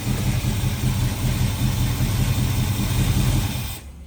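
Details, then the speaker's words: 1979 Camaro V8 at low idle with valve covers off, just after the old rocker arms that were hurting the motor were replaced with new ones: a deep, lumpy burble with no tapping or clatter. The valvetrain sounds quiet and healthy. "So, go ahead and put her down. That sounds really good, especially in the back."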